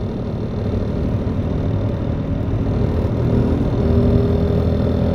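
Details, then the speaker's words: 2002 Mercury Cougar 2.5L V6 with 184,000 miles: a steady drone under throttle picks up a rapid machine-gun rattle at about 2000 rpm and above. It is louder under harder throttle and gone at idle, off-throttle, or with the wheels jacked up. Cause undetermined; only an O2 sensor code is stored. "if I let up off the gas or I let the RPMs go down a little it quits it a ride smooth won't make that sound but if I give it a little gas and the RPMs getting there too at 2 or above 2 it starts to sound like I'm you know machine gun"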